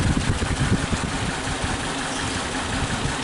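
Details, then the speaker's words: Suzuki Katana idling at low rpm, still the same when fully warm: lumpy, uneven idle with irregular thumps and strong cabin vibration, weak acceleration; pulling cylinder 3's plug lead brings no rpm change, so the black, crusted spark plug there is misfiring. "nah ini busuk ketiga yang bermasalah teman-teman kita cabut sama kita pasang gak ada bedanya berarti ini busi 3 bermasalah"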